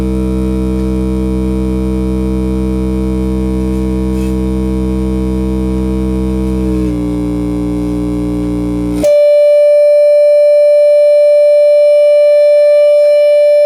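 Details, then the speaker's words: Class D amplifier, defective out of the box, fed a 10 kHz tone: the tone throbs with a steady beating of about four a second; switching noise beating with the output signal, a badly distorted signal. "I know many guys can hear the beating but it's pretty ugly the beating sound between the the 10 kilohertz signal coming"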